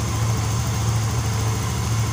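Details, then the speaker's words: Yamaha Xeon GT125 scooter after cylinder block and piston kit replacement; low steady putter with an even beat, no misses or ticking, no longer smoking from the exhaust: smooth normal idle. "Hai suaranya sudah halus ya teman-temanku Hai ini enggak diblock sama servernya baru sudah tidak berasap lagi ya"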